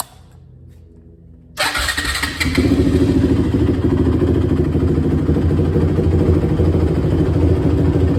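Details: 2006 Honda TRX450R, stock exhaust, starting during tune-up after valve adjustment and carb clean, oil and coolant checked; owner reports bogging and dying once hot. Catches at once into a fast, even thumping run, no misfires or knocks; normal start and running.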